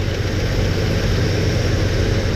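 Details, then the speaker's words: Chevy S10 engine idling with the valve cover off, oil squirting: a rocker arm is backed off during valve adjustment, giving a light, quick tapping over the low rumble from excessive rocker arm lash. "so back it off and you'll listen you'll hear it getting noisy there it is now it's squirting oil there It Go did you hear it that thing's tapping away"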